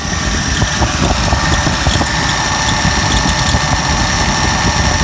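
Smooth, even idle with a steady low hum and no knocks or misses; a healthy twelve-cylinder running clean.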